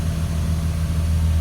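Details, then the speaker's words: 2004 Blue Bird All American 72-passenger school bus diesel, idling after running about an hour without overheating; deep, steady low rumble with no knocks or misses. Blows white smoke, especially when revved. Normal idle, motor sounds good. "So the motor sounds good. It's been running for about an hour. It has not overheated."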